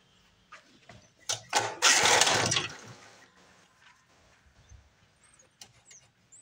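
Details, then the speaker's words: 1982 Snapper Hi Vac mower stored for years, air cleaner refitted for carb adjustment: a few sputtering pops, a brief rough catch, then it dies; owner suspects a plugged air filter. "should have looked right off yeah Corners maybe this air filter is plugged a little bit"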